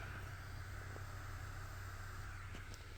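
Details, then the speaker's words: LG inverter washing machine 26 V BLDC drain pump motor on an inverter simulator, speed raised by potentiometer. Steady low hum with a smooth even whine, no knocks or rattles: normal running at higher speed. "Con este potenciómetro aumentamos su velocidad. ¿Escuchan?"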